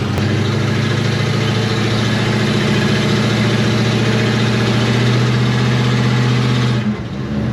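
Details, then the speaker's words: 1972 Chevy Nova third-gen project built from cobbled-together spare parts, driving slowly on poor brakes: deep, steady drone holding even pitch then easing off, no knocks; runs smooth. "Not for nothing, for some stuff that we cobbled together and just Zero care did at what all. we did, it runs mint."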